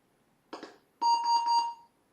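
Two quick clunks, then a single steady mid-pitched beep of under a second: a normal, error-free startup.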